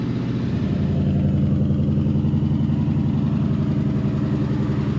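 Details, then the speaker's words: 1965 Ford Fairlane 500, 31,410 miles, just started: steady, even idle with a smooth low burble and no knocks, ticks or misses; normal, healthy idle. "I think it sounds good. We'll go for a drive, we'll see how it is when we get it up on the road."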